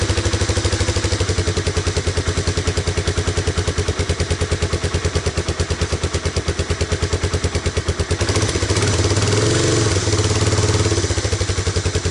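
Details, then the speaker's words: Honda Big Red ATC250ES single-cylinder ATV after no-start repair (brown sticky residue cleaned from carb and intake manifold, fresh stabilized gas with Sea Foam), freshly charged battery, choke on, idle set a little low: steady, even low idle thumping about three beats a second, no misses. "Might stall. I have the idle down a little bit, but that's really what you want out of Big Red, is to just idle along like that."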